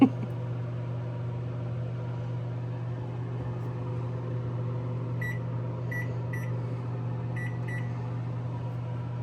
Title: 2349 - Microwave noises when plugged in.